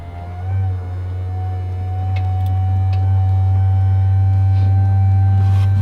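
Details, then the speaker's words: Turbo XE build, first fuel system test: only the lift pump switched on to fill the surge tank; a steady, even low electric drone with a faint higher tone, pump spinning but apparently not filling. "Doesn't sound like it's filling. Just, there's no way of knowing. That 50-50 shot of getting the intake pump right."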